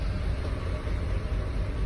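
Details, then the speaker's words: 2006 GMC Envoy bought at scrap price, throwing codes, after cam actuator and cylinder 5–6 coil pack replacement: low, slow, uneven loping idle; still idling rough, owner suspects crank and cam sensors. "but our RPM's pretty low and I don't know if you can hear it or not but it's just idling rough"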